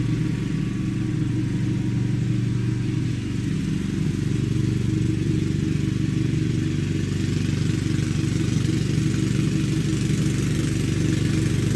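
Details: Craftsman LT2000 lawn tractor, parked roughly 6-8 years and not run since about 2013-2014, fired up after a new deck belt and deck refit: a steady, even low throb from the twin at fast idle, with no misses or knocks; running healthy.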